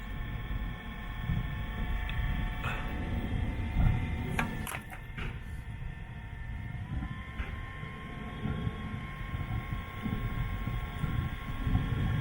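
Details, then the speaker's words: Newly fitted Webasto diesel parking heater on a Land Rover Freelander 2 running: deep steady roar with even hum, no surging or popping; running properly. "it's all running it's been on for like half an hour and um i feel the horses are warm and the cologne itself is warm as well"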